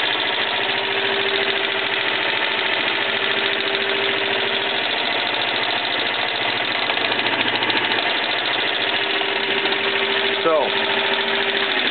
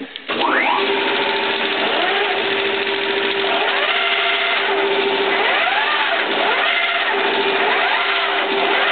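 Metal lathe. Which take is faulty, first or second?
first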